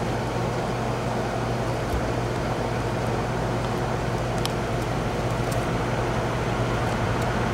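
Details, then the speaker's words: Goodman outdoor AC condenser running after a temporary end-of-day leak repair: steady hum and even fan whoosh, with no more of the bad refrigerant hissing heard before and no bubbles in the bubble test. "I don't hear it hissing anymore it was hissing pretty bad I don't see any any bubbling"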